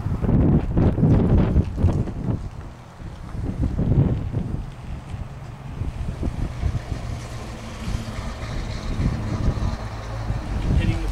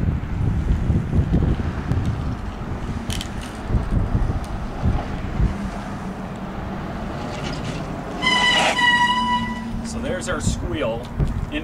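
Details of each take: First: Bicycle disc brakes after Squeal Out paste was applied to the rotor: ridden and braked in strong wind with no squeal, though braking power is reduced until cleaned off. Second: Sharp high squeal from a bicycle disc brake, fairly bad, before applying Squeal Out treatment paste to both sides of the rotor.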